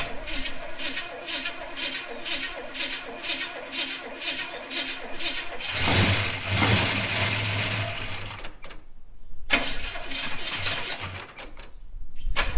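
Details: Holden HK, engine just installed, first start after filling radiator: rough cranking catches and settles into a steady low idle for a few seconds; started and ran, though a welsh plug leaks on one side.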